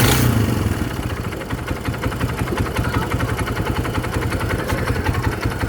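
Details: Kawasaki Barako single-cylinder motorcycle brought in for a noise: heavy, uneven knocking beats under the exhaust note keep pace with the revs; judged connecting rod knock, not timing chain or transmission.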